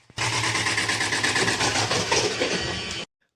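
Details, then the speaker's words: Fully automatic washing machine with 10-year motor warranty, back panel open, running: harsh metallic scrape pulsing about three times a second with each drum turn; something found stuck inside the drum. "Guys upon on करके start करें बहुत बुरा sound आ रहा है"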